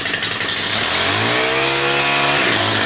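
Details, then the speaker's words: STIHL handheld gas-powered trimmer, grimy cold start: catches on the first pull, revs climb smoothly and settle into an even, crisp run with no misses; healthy start. "Hear the difference, eh? Those things always start nice like that."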